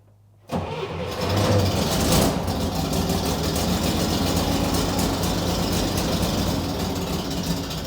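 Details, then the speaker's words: Chevy Corvair with swapped-in used carburetors and auto chokes, cold start in very cold weather: catches after a few cranks, then runs lumpy and uneven with a ragged stumbling beat, yet idles on its own, unlike the old carburetors; cause not confirmed. "since it's really cold out uh I've just closed the doors although it doesn't sound good this is a huge step because the car would not idle on its own with the other carburetors if I wasn't on the throttle in the car"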